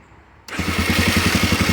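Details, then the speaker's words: 1988 Honda NX 250 dual sport, cold start: catches at once and settles into a quick, even thump, about ten firings a second, no stumbling; healthy cold start. "it's right up no issues starting it up sounds awesome"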